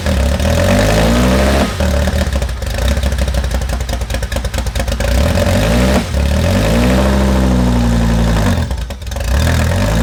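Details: 2010 Audi R8 with Dallas Performance-modified Lamborghini Huracan V10, first start after install with no exhaust: catches on first crank, crisp even revs, settles back with no knocks or misses.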